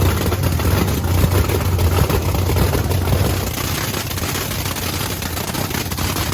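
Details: Methanol blower V8 Camaro after nozzle cleaning: a deep, even rumble holding steady revs with no misses or knocks; it burns five gallons quickly, and running the pump dry is suspected of putting junk in the fuel.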